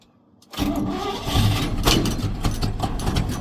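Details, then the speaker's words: 1965 Chevy C10 283 small-block V8 after swapping points for HEI ignition, started in neutral with no choke or pedal on a rainy day: brief crank, then it catches into a lumpy idle. Slightly slow to fire, but HEI greatly improved starting. "Was a little slow on the start up. That hi has made a difference. I mean a difference. It's so good now. So good."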